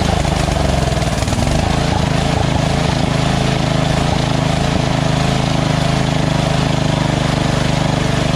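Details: Lawn tractor engine at lowest idle setting after the surging carb was replaced with a Chinese-copy Nikki 590399, O-ring manifold and backward curved fuel nozzle: low, even idle thump at the same pace, no rise and fall; idles smoothly.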